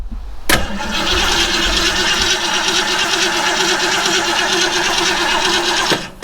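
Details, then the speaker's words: 1967 Ford Mustang cranking on battery booster with coil plug refitted, no start; steady fast crank without firing; fuel pump not pulling gas, tank suspected run empty; fuel starvation. "I was hoping that, actually the starter sounds good now. I was hoping that was enough to pull the fuel up from the tank. I think it ran empty."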